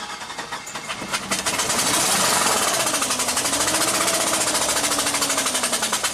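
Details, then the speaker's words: Flooded engine on a 2009 Chevy Silverado 3500HD at 421,000 miles clearing: held wide open and cranked on a jump pack, fast uneven cranking beats with a wavering tone until it begins to catch, after a stall and no-restart. "Okay. Wow. How did this thing get flooded?"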